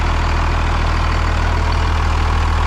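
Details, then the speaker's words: 2nd gen Cummins diesel truck, hood open, after quick start; loud deep steady rumble with even beat, no knocks or misses, runs good. Normal idle. "Oh yeah. It runs so good. This thing fires up so well. It's surprising how healthy the engine sounds."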